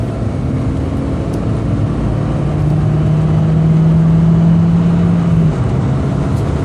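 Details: 2002 VW New Beetle, small whine rising and holding over the exhaust drone during revving/acceleration, then dropping away; vacuum leak, found to be several broken plastic parts, fixed with replacement parts.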